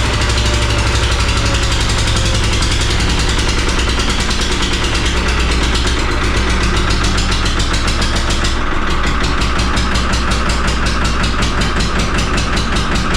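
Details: 3-cylinder Lister diesel in a flooded harbor boat, cold start: loud, lumpy chugging whose speed wanders despite heavy throttle while stationary, a rough hunting idle. Owner suspects air in the system or water in the crankcase.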